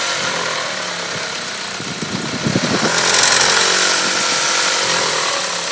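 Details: Engine noise like two metals knocking only between 1500 and 2000 rpm: quick metallic clatter that fades as revs rise; turned out to be the timing belt tensioner.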